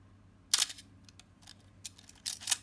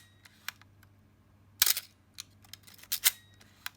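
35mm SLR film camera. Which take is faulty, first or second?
second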